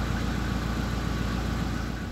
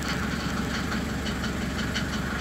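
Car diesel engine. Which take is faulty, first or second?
second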